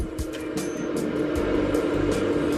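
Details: Speedy Air electric heater box just wired into a Datsun 1200, fan and heat switched on: a steady, even motor hum at constant pitch with no rattle or scrape; the heater blower fan runs normally.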